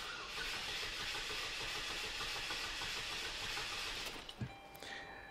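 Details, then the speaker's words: 2006 Saturn ION 2.2L Ecotec four-cylinder cranking in clear-flood mode without starting; every fourth stroke slightly slower, uneven cranking rhythm; owner suspects a mechanical misfire cause. "y allí lo tienes tenemos un inconsistente ritmo de arranque teóricamente cada el cilindro coloca una carga igual en el arranque y el sonido officered idéntico pero éste no lo hizo"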